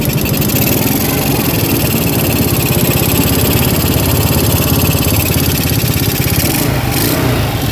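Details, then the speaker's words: Yamaha Vega RR single-cylinder motorcycle that often stalls and had already been dismantled without a cure, heard at the left side, softer than the right: fast, uneven metallic ticking over a busy idle, pointing to a worn connecting rod. "di sini suaranya dia itu agak lebih adem daripada yang sebelah kanan kalau di sebelah kanan itu keleteknya parah banget"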